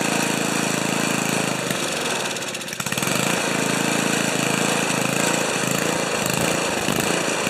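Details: Old five-horsepower Ariens 2+2 two-stage snowblower engine, low-speed jet set around one and a quarter turns: chugs unevenly, nearly dies around three seconds, then surges and hunts instead of settling; running rough, cause not confirmed.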